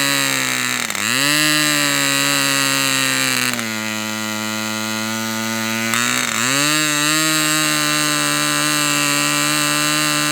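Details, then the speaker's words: Fox Twin glow engine restart with glow plug energized, no prime: one cylinder fires then drops out, high buzz sagging and recovering as it runs unevenly on the other; cause unknown, nothing changed. "Okay, for whatever reason, this cylinder didn't really light this time. It lit and then it died out. And I don't really know why it would do that."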